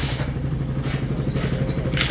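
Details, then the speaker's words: Single-cylinder motorcycle after repair (spark plug cap and carb replaced with a 28mm carb, stock one was misfiring): quiet, even idle with steady firing pulses about ten a second and no misses; runs smoothly. "Medyo mas tahimik siya kumpara sa mga may ingay na motor talaga. Tahimik naman as in. Bago na rin yung carb."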